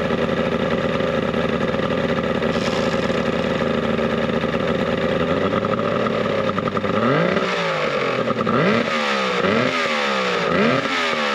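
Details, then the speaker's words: Mercury 70HP two-stroke outboard on a 1967 boat, first start before the gasket and water-pump fixes, running a little warm: a steady, even two-stroke buzz with clean pitch rises on throttle blips. Sounds healthy. "that actually sounds healthy how hot are we oh not too bad a little warm"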